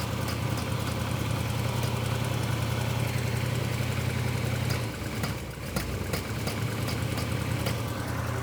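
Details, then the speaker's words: Amateur garage engine chasing a months-long backfiring problem after a distributor change; timing adjusted from too advanced to way too far retarded, giving a low, lumpy idle that stumbles and nearly dies. "okay shut it off going the wrong way I guess no it's way too far the other way"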